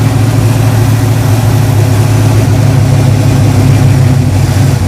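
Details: 2012 caged, street-legal dirt car with trans and oil coolers, just fired up after the fuel pump primed. Strong, steady deep V8 rumble at idle with no knocks or misses; 60 psi oil pressure, healthy.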